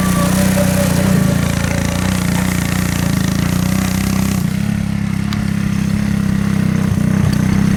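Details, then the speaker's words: 1984 Honda ATC three-wheeler, single cylinder, after the clogged main jet and dirty carburetor bowl were cleaned: steady even putter under light load, no surging or stalling. Normal running. "It runs, it moves."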